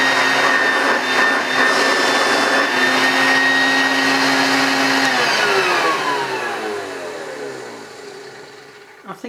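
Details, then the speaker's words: British-made Hoover Junior U1036 bagged upright vacuum, motor run with belt and agitator off: steady high whine at full speed, no rattle or grinding, smooth coast-down at switch-off; good suction, motor sounds healthy. "that sounds okay so it's going to sound different when the belt's actually attached but it's got some it's got a good suction so I don't think there's much wrong with the motor"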